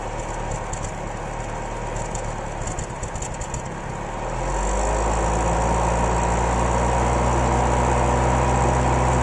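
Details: 1993 Isuzu Amigo 2.3 petrol idling with a rough, repeating stumble; misfire persisted after valve clearance adjustment, new plugs, wires, cap, rotor and choke adjustment; cause turned out to be a lean condition.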